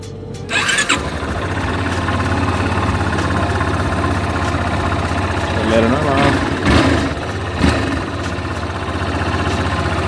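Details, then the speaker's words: Yamaha Fazer 250, 123,843 km, cold start: catches within a second, then steady even idle, no knocks, misses or smoke; owner reports a strange noise only once it warms up; normal cold start and idle. "Aí, esse é o barulho normal da água. Tá com a lenta boa. Não sai fumaça."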